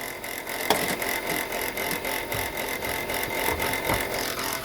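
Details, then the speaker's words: Chrysler Pacifica crossover (2004–08 generation) at idle: a steady high whir with an uneven rattle under the hood. Alternator bearing judged shot, with the pulley bouncing and brown residue around it. "from the looks of this and the sound of this look like the alternator bearing is shot"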